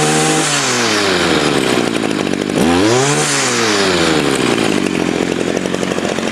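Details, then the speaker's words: Stihl FS55 trimmer after carburetor replacement and adjustment, clutch working: revs climb smoothly from idle to a clean high scream and fall back without bogging; normal throttle response. "We'll squeeze the trigger here, and you can hear this is a happy engine."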